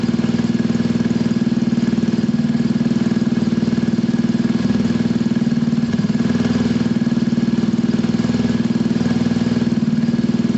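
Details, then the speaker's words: Piaggio Pulse Force 50cc two-stroke scooter after fuel problem fix, warming up, automatic choke possibly still on: steady even idle with smooth regular beat, no knocks or misses; engine healthy, idle still adjustable, loose panels rattle. "You can hear it, guys, it's absolutely spot on. There's no issues at all with that running. I can adjust the idle, that's not an issue there."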